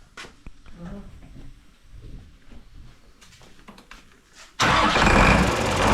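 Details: Mercedes OM366A turbo diesel (170 hp) after its fuel injection pump was repaired, pump timing set to standard, slightly later: the engine fires up and holds a strong, steady clatter at low idle with no stumbling. All cylinders are working evenly.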